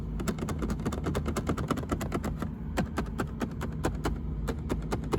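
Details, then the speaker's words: 2023 Rivian R1S dash rattle: the sideways B-shaped plastic vent assembly under the speaker grille sits loosely on the cabin filter housing, and sharp plastic clicks and taps come as it knocks against the housing and the inner lip edges; fixed with felt tape. "this uh sideways B shaped plastic uh vent assembly is very Loosely attached uh it's actually sitting on top of a cabin filter and if uh you'll see in a second here it it it just rumbles it just kind of rattles against uh the assembly for the filter housing"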